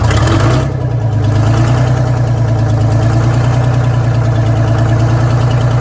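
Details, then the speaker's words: Detroit Diesel 6-71 two-stroke in a vintage GM bus, started with the old restrictive exhaust removed and no exhaust fitted: loud, deep, even drone with fast raw crackling beat, unmuffled open exhaust. "So I'm going to drive it over there with no exhaust whatsoever. Kelly's going to go ahead and start it up."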